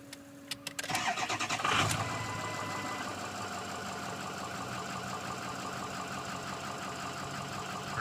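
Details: Ford 6.0 Powerstroke diesel with serpentine belt removed, battery charged: brief free-spinning crank, then catches and settles to a steady even idle with no drag or squeal; no-start was caused by the AC compressor.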